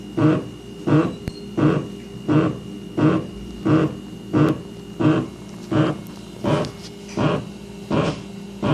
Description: The water pipes are making a weird grunting noise in the wall right after the main shutoff valve.